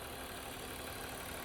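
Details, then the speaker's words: 2000 BMW 323i E46, original 2.5 L inline-six at 364,000 miles, heard under the hood: even, steady idle hum with no knocks, ticks or stumbles; runs smooth, sounds healthy. "That is a 364,000 mile original 2.5 liter inline six. Runs pretty smooth, honestly."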